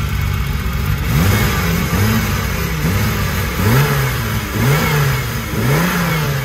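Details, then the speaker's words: BMW E36 turbo after new camshaft install, engine still cold and not yet mapped: free-rev blips rising and dropping with faint rising turbo whistle each rev; healthy turbo spool. "spoule, j'entends déjà le spool Guillaume."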